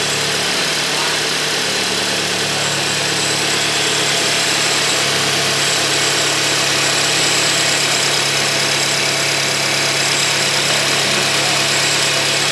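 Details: Crash-damaged 2015 VW Golf R rebuilt with a new water pump, running with the intercooler tie-wrapped in place to check for air leaks: steady, even idle with no ticking, knocking or hissing leak over background music; the engine runs smoothly.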